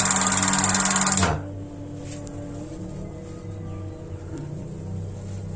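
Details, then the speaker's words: Paloma gas water heater that won't light: rapid igniter clicking about four a second, then it cuts out; the torn (leaking) water-valve diaphragm doesn't move far enough to actuate the microswitch. "membran bocor"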